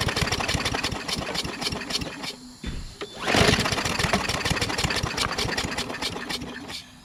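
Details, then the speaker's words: Craftsman push mower with a Briggs 550EX engine, propane fed into the intake. Rapid pull-cord cranking, a brief sputtering catch that dies, then more cranking: no start. The owner doubts the carburetor and suspects an internal problem. "I don't think it's going to work, guys. Alright, that's not going to work. I don't think it's carburetor."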